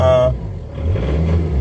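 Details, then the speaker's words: 2006 Peugeot Partner with prior crank/no-start, about 191,000 mileage, after clearing BSI fault codes; engine catches and settles into a fast, steady idle with a low even drone, high revs while warming up. High idle when cold. "I have high revs you give the engine a chance to warm up first"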